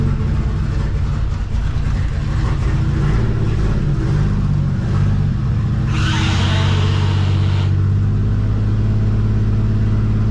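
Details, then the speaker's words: Nissan GTR not started in a long time: deep engine run with pitch wandering up and down under light revs and an uneven note; something majorly wrong, owner suspects engine/turbo issue, cause not confirmed. Rough running. "as you can tell as you can hear uh there is something major major wrong with the uh gtr"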